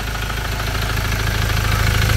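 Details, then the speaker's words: Ford Ranger diesel at idle with a fast, even knocking patter from the cylinder head area, checked with a multi-channel listening tool on channel one; head recently redone; source not pinned down, cause unconfirmed. "Jadi bunyi tu bukan datang daripada inor ke apa macam dekat silinder hit."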